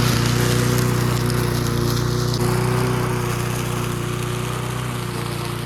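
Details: Junkyard Bob-cat push mower, primed and started after a spark check: a strong, even low drone with a steady firing beat and no misses or surges; normal running.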